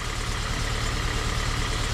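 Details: 2001 Volvo S40, bought cheap as a non-runner, at idle after being got running: low steady idle with a faint regular puffing pulse; sounds like a big hole in the exhaust, leak suspected, not confirmed.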